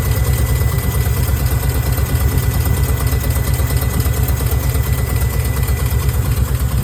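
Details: 1990 Nissan 240SX KA24E with deep, lumpy idle and uneven pulsing that shakes the engine and hood; ECU code 45 injector leak, cracked injector seals, fixed by new seals.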